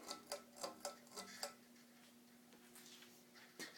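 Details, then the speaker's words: 52-inch second-generation Fasco Charleston stack-motor ceiling fan on medium speed: steady low hum with light ticks about four per second; noise source unknown, bearings or capacitor suspected. "listen to that i don't know if that's the bearings or what or the capacitor i can't really pinpoint it"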